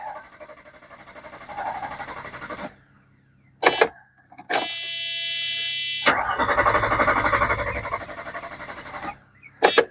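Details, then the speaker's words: Mercedes 300SE after fuel pump replacement, battery well charged: steady cranking about three beats a second that never fires; crank no start, owner smells gas. "I put the key in and it goes up to almost half and we just sit here crank and [Music] crank and crank"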